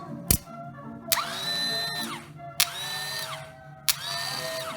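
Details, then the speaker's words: New replacement starter motor for a TaoTao 110 ATV, bench-tested on 12 volts: three short bursts, each clicking, winding up to a clean steady whine and coasting down smoothly with no grinding; normal starter run. "no problems whatsoever and i wouldn't try stopping that with my hand by the way"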